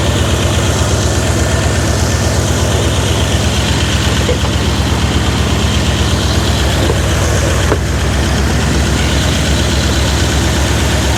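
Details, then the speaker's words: Older Dodge Ram idles steady and even with regular firing pulses, no misses, after repair; likely cause was bad cap and rotor poorly installed by customer. "But whatever, it doesn't matter. It's running, it's fixed."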